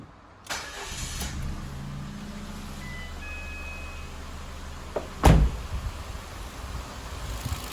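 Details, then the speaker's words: 2009 Ford Fiesta automatic, Copart salvage, after front-end work and a service, with fluid levels good. The starter catches quickly into a steady even idle with no misses; it runs smooth with no leaks. "so really nice one's really really nice smooth everything everything's great"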